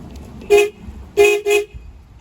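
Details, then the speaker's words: 1983 Honda Shadow VT750C project bike, testing electrics after drilling out the ignition and fitting new keys: three clean, loud honks at steady pitch, one then a quick pair. Horn working normally. "oh my gosh we have a horn"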